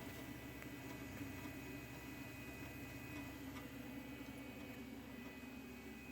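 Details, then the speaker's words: Spare 120 mm computer fan added at the back of a home charcuterie dry-curing chamber to gently circulate air without causing case hardening: soft even low hum and faint airy whoosh, no ticking or rattle; running quietly and normally. "this computer fan is a little bit less. So I think it's going to provide some air circulation, but not overly do it and cause any chance for case hardening."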